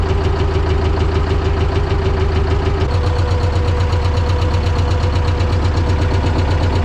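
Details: T-16MG self-propelled chassis diesel at −10°C, started with the clutch squeezed and the decompressor on: steady, rhythmic chug at an even beat with normal diesel clatter and no extra knocks, idling normally in the cold.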